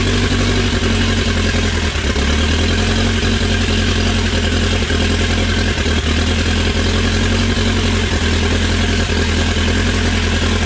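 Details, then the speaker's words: Dodge Raider/Montero with rebuilt 4D55T diesel, first start after rebuild for low compression and fuel system bleeding; even, steady idle with firm low beat and no stumble or knock; runs well despite slightly leaking injectors and a cracked injector line. "well it's actually running runs pretty good apart from a few i mean actually all these injectors leak a little bit"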